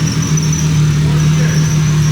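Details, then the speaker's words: RB26-swapped Mustang idling just after its first start, not run in about a year: a steady engine hum with a faint, thin high squeak on top. Squeaky accessory drive belts; the car always had a squeaky pulley problem. "belts are a little squeaky but no problem oh how exciting man it's been so long this car always had a problem with squeaky pulley"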